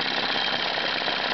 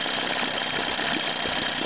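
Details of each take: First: 1987 Evinrude 15 hp outboard after a full tune-up, idling while the low-speed fuel mixture needle is dialed in for the smoothest run. It gives an even, fast-pattering idle with no stumbling, surging or missing beats. Normal idle with the mixture set right. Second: 1987 Evinrude 15 hp outboard, freshly tuned up, during carburetor adjustment: the low-speed mixture is richened past smoothest, so the idle gallops unevenly and four-strokes, firing every other stroke; rich low-speed mixture.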